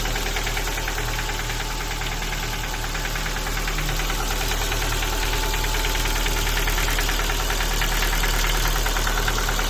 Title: Ford Focus 2 1.6 engine knocking. Sound of broken piston pins.